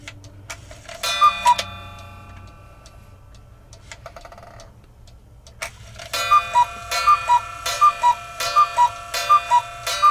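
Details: Newly installed replacement movement in a modern cuckoo clock, after adjusting hammer clearance off the gong; crisp, even tick-tock at roughly eighty beats a minute with clear bell tones between; the movement is running and striking properly.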